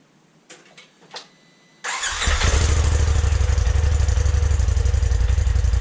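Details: 2020 Polaris RZR Turbo S Velocity on stock exhaust, before Trinity stage 5 slip-on install: a few clicks, then a quick clean start settling into an even, deep burble; normal start and idle.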